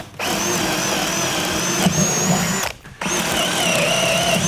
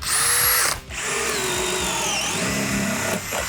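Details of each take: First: Harbor Freight cordless drill with brushed motor (brush smell noted), on a not-full battery, boring a 31/64 in brad point bit into wood: whine sags in pitch and strains, then recovers; motor bogging under load and getting hot. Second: Cordless drill, shown for comparison as the bigger drill on one battery bar, driving a 3/4 inch paddle bit through a 2x4: strong, steady high motor whine holding speed with no bogging or cutting out; normal drill under load.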